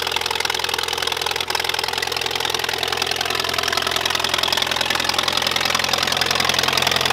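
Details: 1951 Allis Chalmers WD tractor running after first start in an estimated 10 years or more, new coil and points fitted; old engine chugs steadily at about three and a half beats a second with a bright, rattly top end, normal running.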